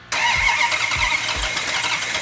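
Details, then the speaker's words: 1971 Hemi Cuda on first fire-up, with fuel in the carburettors and oil pressure confirmed, catches after a few cranking pulses into a lumpy, uneven idle; timing likely needs advancing. "hang on I think it's hang on you know it's very rare that when you fire one of these engines up that right off the bat you have the timing set perfectly"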